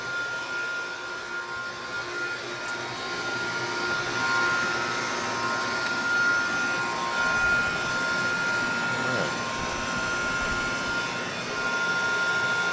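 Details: Masterbilt self-contained cooler after a condensing coil leak repair, drier replacement, vacuum and recharge: a steady, even hum with constant fan rush and a faint high tone, running normally and reaching about -15 evaporator against a -10 setpoint.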